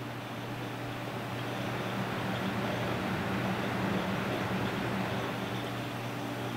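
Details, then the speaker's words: Noctua NH-D14 high-end air CPU cooler fans running at full 100% rpm: a soft, even airy rush with a low steady hum and no rattle, ticking or bearing growl; normal, healthy fans. "and now back where i am pretty much inaudible i can't actually hear them over the background noise in this room i can actually only just hear them if my head's about a meter away from them"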